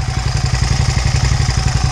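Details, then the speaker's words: Suzuki SV650 V-twin at idle: steady lumpy pulse with a light, quick click-click ticking on top; owner suspects valve tapping needing a valve job soon, unconfirmed. "The valves tapping? Yeah, I think I need to get a valve job on this guy pretty soon. It's going click, click, click, tappity, tap, tap, tap, tap, tap, tap,"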